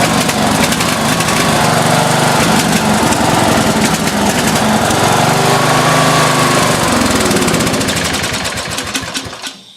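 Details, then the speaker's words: Briggs & Stratton single-cylinder engine on off-road lawnmower runs rough and lumpy, never settling into a steady rhythm, running rich; owner plans to swap in another carburetor. "as you can hear it was running rough it's running rich so I got to go and get my other carburetor"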